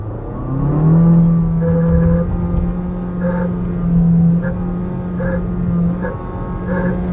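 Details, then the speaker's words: Jeep Compass Longitude 1.3 turbo flex T270, in first gear around 4,500–5,000 rpm: a short rattly burst with each throttle tip-in and lift-off; the driver suspects the transmission, but the origin was not found. "dessa unidade a gente precisa pegar outros compras para a gente poder analisar que é um ruído que me parece de câmbio ao redor de 4.500 5000 giros"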